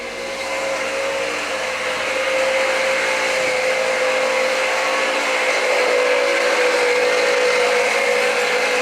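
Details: 2013 Jeep Patriot Limited 4WD running with the belt on, after new tensioner and idlers were fitted. A harsh gritty whirring with a steady mid-pitched whine points to a worn alternator bearing, which was then replaced.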